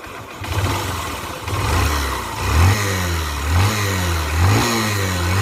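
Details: BS4 Honda SP Shine motorcycle, low on engine oil and smoking, before engine teardown; rough idle with repeated short throttle blips, a clattery, labouring note under each rev: worn engine running noise.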